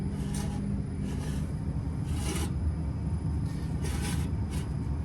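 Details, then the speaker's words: Old gas booster removed from a biogas plant, roughly 2016 model, left on longer than the couple-year change interval: blower shaft turned by hand gives uneven rasping scrapes from a completely worn-out bearing. "don't know if you can hear that but that bearing is completely gone that one"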